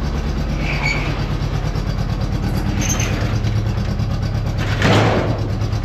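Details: Honda Goldwing GL1200 flat-four: deep, even drone with no misfire stumble or skipped beats; runs smoothly on all four cylinders.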